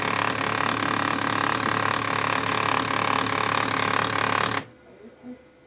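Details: Brother printer running: a harsh continuous rasping rattle with a quick, fairly even pulse about four times a second, then it stops; abnormal printer mechanism noise.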